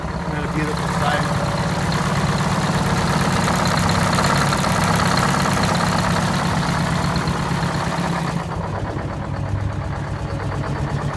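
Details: 1969 International 400 dump truck, Detroit 8V-71 two-stroke V8 diesel, after cracked bell housing chained shut and air starter used, fuel stabilizer and cetane boost added: steady strong low drone, regular beat about three pulses a second, no stumbling; normal idle.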